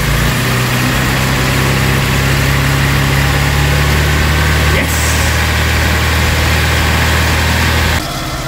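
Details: Vauxhall Cavalier Mk2 during its revival, just after a new starter motor was fitted, with the choke pushed in: a smooth, steady hum with an even beat, settling slightly lower. Normal idle.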